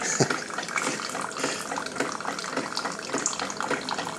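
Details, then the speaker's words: Keurig 2.0 after fixing a disintegrated high pressure relief valve with an automotive T-fitting, brewing 16 oz while checking for leaks: soft trickling pour with faint pump murmur, no irregular spurts; normal dispensing. "all right got some water coming out looking for leeks make sure we're good"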